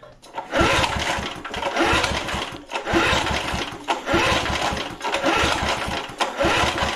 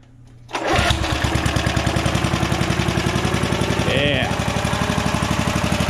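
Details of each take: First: Vintage heirloom single-cylinder lawn mower after long storage, oil clean, throttle set to start: repeated pull-cord cranks spin freely with not a pop or sputter. No-start. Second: Vintage heirloom pull-start lawn mower catches at once into a steady, even single-cylinder beat about four a second with no misses. It is running healthy; it had been turned too low to the stop position, and a cable probably needs oil.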